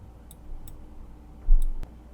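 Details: JGMaker Magic 3D printer, manual homing during assembly: a few sharp light ticks, then a crisp snap as the endstop switch clicks normally.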